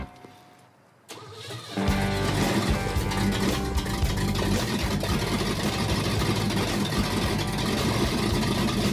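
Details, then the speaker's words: Bruiser Wagon V8 first start after engine swap with carburetor bowl filled: brief cranking, then a steady, lumpy idle with oil pressure; engine works but sounds like it needs timing work. "Well, the engine works. It sounds like it needs timing work."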